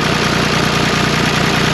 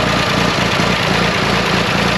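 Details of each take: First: 1974 John Deere 350B bulldozer diesel, started after the return-line check valve ball and spring were removed to fix stalling: steady, even low clatter at idle with no misses or stumbles. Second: 1974 John Deere 350B dozer diesel idles with an uneven low chug then falters and dies; owner suspects a clogged fuel return line, fuel filter verified not clogged.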